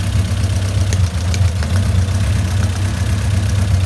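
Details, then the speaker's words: Honda CRX with all-motor B17, suspected bent valves after jumping time while crossing into VTEC on highway. Low steady idle with uneven lope and faint stumble, one cylinder not pulling its weight; misfire, compression test next. "I don't know if you guys can hear it but you do hear just like kind of miss and it's just running weird"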